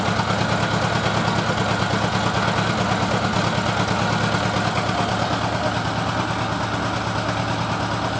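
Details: Honda GL1000 idle with a slightly uneven, loping beat about three times a second, hinting at a cylinder not firing cleanly; misfire suspected, not confirmed.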